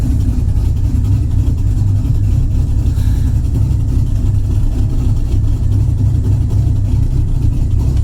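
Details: Electronic exhaust cutout closed after a new QuickTime Performance butterfly valve replaced one bent by using two-step: idle gives a steady, deep, even exhaust burble with no rattle or leak hiss; previously it audibly leaked.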